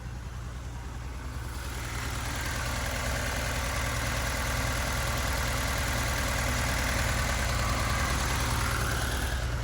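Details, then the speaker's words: Abandoned turbo Datsun 280Z after a wiring rebuild, first running: steady, even idle with no knocks or misses and fuel pressure present; the sound heard earlier was suspected to be the injectors. "It's idling good. I've got pressure."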